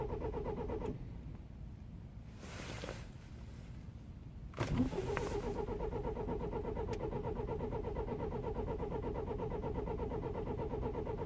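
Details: 2009 BMW E91 320i after 9 hours outside at -12°C: starter cranks, then the engine catches with a rough, rattly run; hard start worsening for weeks caused by a broken camshaft chain tensioner, with chain and tensioner replaced.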